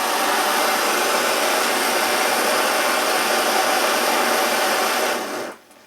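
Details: Svea 123 backpacking stove after rebuild with inner tube material, O-rings and steel wool, burner red hot: strong steady roaring hiss at full heat, no sputter or surging, then cuts off cleanly; healthy.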